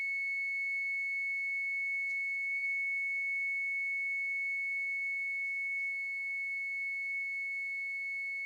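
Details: 50cc moped engine on the bench, setting points and timing by turning backward from top dead center with a test tone: steady high tone shows the points opening far from the mark; ignition timing well advanced.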